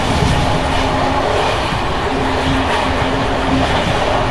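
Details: Bd264 481 coach (built 1979), Görlitz V bogies with many kilometres since last major maintenance, evening express on uneven line 190 near Hluboká nad Vltavou–Číčenice, heard from compartment or open window: loud rough rolling with constant loose rattle as worn brake rigging bounces.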